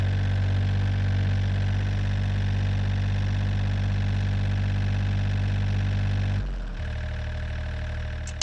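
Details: John Deere 1445 with rebuilt Yanmar 3TMV 882A diesel on first start after the rebuild; smoke cleared after 20-30 minutes, timed correctly. Smooth, even clatter at mid throttle, settling lower as throttle drops; normal running.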